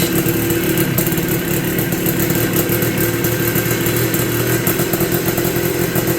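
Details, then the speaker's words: 1983 Honda ATC 250R two-stroke with a new piston and rings: rough, uneven idle with a rapid rattling beat; owner suspects fuel starvation, possibly from low fuel. "sounds like it's not getting fuel maybe I am just too low on fuel"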